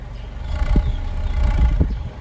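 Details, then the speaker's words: Honda City on CNG, after injector cleaning and replacing one leaking injector: the low engine note rises and falls smoothly as the throttle is blipped, with no stumble or misfire; it now runs smoothly on gas. "ตอนนี้ก็ไม่มีความโดดดันแล้วเครื่องก็นิ่มแล้วโอเคครับค่อยๆเร่งหน่อยครับ"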